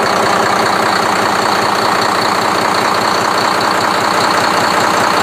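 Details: Speedboat engine that had hard starting with long cranking, after the problem was solved; loud steady engine running at an even pace with no stumbling or dropouts; normal idle.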